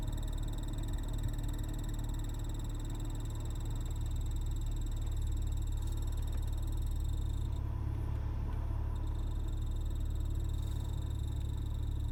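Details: BMW E46 with the AC running: low, regular croaking pulses about three or four a second over a steady hum. Cause unknown.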